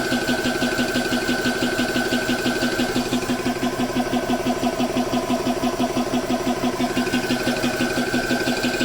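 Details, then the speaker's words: GX CS3 4500 psi high-pressure compressor, owned since November 2020 with many hours, filling a PCP air rifle: regular piston thump about twice a second with a steady hum and even chatter as the gauge rises; normal operation. "You can see it's coming up to pressure. Comes up pretty fast. It'll slow down once it catches up with where the gun is at."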